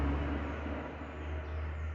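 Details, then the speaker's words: 2006 VW Polo after brake pad repair for caliper knocking over bumps (pads filled on one side to remove play): only low even vehicle rumble, no metallic rattle; normal brake caliper, no rattle. "Galera, pintei as pastilhas montada aqui no veículo, igual vocês estão vendo. Acabou o barulho de aço,"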